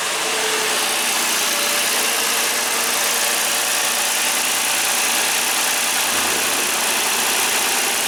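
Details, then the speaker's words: 2013 Ford Taurus after water pump replacement and powertrain reinstall, first start with new primed oil filter: smooth, even, quiet idle with steady hum and no ticks, squeals or knocks; normal idle. "Running good, running smooth, no abnormal noises. Turn this light on. Maybe some lighting will help. You can hardly hear it run, it's so quiet."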